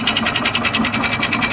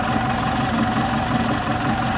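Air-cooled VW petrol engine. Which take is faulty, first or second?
first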